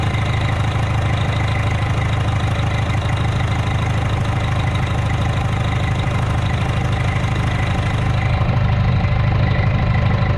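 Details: Rebuilt Detroit diesel restarted after dirt was found in the charger system, source still unknown, with a broken governor line still to fix: steady low idle clatter, even firing about three per second, no misses or knocks; running clean.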